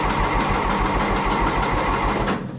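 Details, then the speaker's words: 1960 John Deere 1010 diesel tractor after engine rebuild: brisk, even cranking once two 12 V batteries were wired in parallel; voltage had dropped to about 9.5 V while cranking, so weak battery, not starter, was likely the cause. "I think the starter actually turns out to be more a weak battery than the weak starter uh so I've got two batteries in parallel now at 12 volts I put a meter on it and I checked while I was cranking it was dropping down to 9 1 12 volts so now while it's cranking it sounds much happier"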